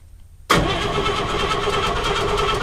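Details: 1952 Chevy Bel Air inline-six, sat for many years: the starter spins the engine at an even, steady cranking rhythm but it never fires. No start, with the ignition coil suspected, unconfirmed.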